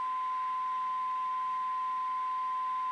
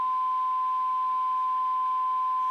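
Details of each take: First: 1954 Regentone Multi99 radiogram during radio alignment: steady pure test tone that swells louder near the end as the top coil core is tuned to peak. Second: 1954 Regentone Auto 99 radiogram alignment with a 470 kHz IF signal generator and AF meter across the speaker, adjusting coils L14–L17: clean, steady test tone, already spot on.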